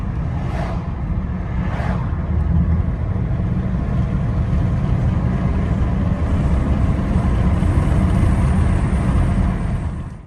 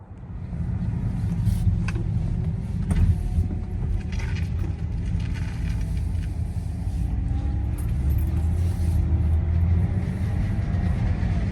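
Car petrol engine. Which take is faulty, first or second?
second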